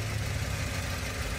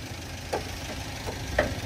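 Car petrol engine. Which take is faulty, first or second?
second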